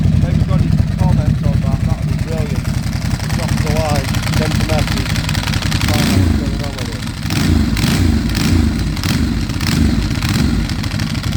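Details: 2008 Ducati Hypermotard 1100S V-twin idling with a loose, uneven clatter over its lumpy beat after 2 years sitting, service and EML lights on; owner unsure whether the extra noise is normal.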